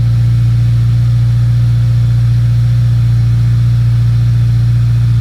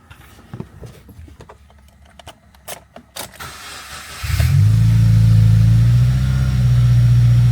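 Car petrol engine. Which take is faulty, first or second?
second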